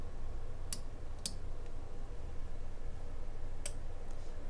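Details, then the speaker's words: REL HT/1205 class D sub amplifier, working unit at power-up: status LED goes red to white and a few sharp, isolated relay clicks sound as the relay engages: normal. "The status LED transitions from red to white. And you can hear the relay engage."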